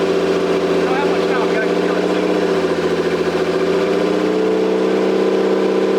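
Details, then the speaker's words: Toyota 7M-GTE straight-six (MA70 build) after a four-month rebuild and timing fix, no exhaust, intercooler bypassed, no idle air control valve. Loud raw open-pipe idle with a fairly even beat and no misfire gaps; engine running. "but you got to hear it got to see it running made some cool noises exhaust sounds really cool when there's no exhaust I guess it's like every car ever right"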